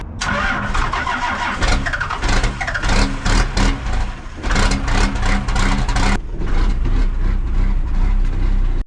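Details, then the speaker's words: 1975 Dodge D600 auction truck, possibly with a grid heater rigged in: a brief crank, then the engine catches and settles into a strong, even, steady run with no misses or knocks; a healthy start, oil pressure present. "she runs mint no oil pressure gauge but that's fine"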